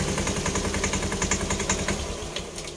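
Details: Honda Scoopy eSP scooter CVT: rapid, even clacking about seven to eight knocks a second over the engine, easing as it slows; loose drive belt slapping inside the CVT; worn roller housing or sliders also suspected.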